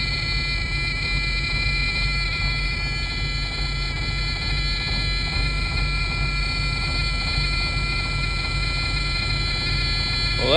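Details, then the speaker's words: Detroit Series 60 diesel truck in very cold, windy weather, just restarted after a crank-no-start was fixed by replacing the TRS (crank sensor). A steady low-air warning buzzer sounds over the idle until the tanks fill; the truck leaks air when cold. "this buzzer's not going to shut off until they fill up with air when it's when it's cold out this truck leaks all the air"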